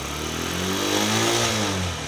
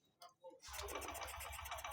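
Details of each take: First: Honda Shine 125 BS6 with a cold hard start, started by the manual-choke method and being warmed up. Clean throttle blips climb and fall smoothly, then the revs settle and it shuts off: normal revving during warm-up. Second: Honda Shine 125 BS6 in cold weather, fuel pressure, injector spray, timing and spark plug all good: electric starter cranks steadily with even pulses but engine never fires; cold hard-start, fix is removing air filter connection and using manual choke.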